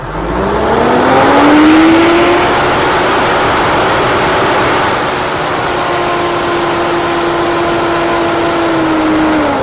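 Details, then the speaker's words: Mitsubishi Montero diesel, in for EGR and intake cleaning with slight low power, revved to about 4,000 rpm: a thin, piercing metal-on-metal whine rises while revs are held and fades as they drop; the mechanic suspects slipping rubber in the main pulley, unconfirmed. "Yun, no? Narinig yung ingay na yun? Kakaiba. Bakal sa bakal."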